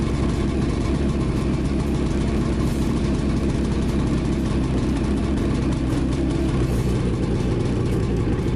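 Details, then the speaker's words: 2017 Ski-Doo Skandic 550 WT, 550cc two-stroke, new drive belt, cold start at -10 after a week unused: steady even idle with a low burbling pulse, no knocks or rattles; normal cold idle. "Not been started for a week, so you'll have to see a cold start. It's -10 today."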